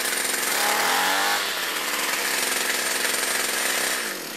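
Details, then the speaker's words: Old heavy Lawnflite strimmer with steel shaft, two-stroke power unit: high-revving buzz holds steady and even with slight pitch dip, no misfire or surging; runs well. "But reluctant to get rid of it. It runs well,"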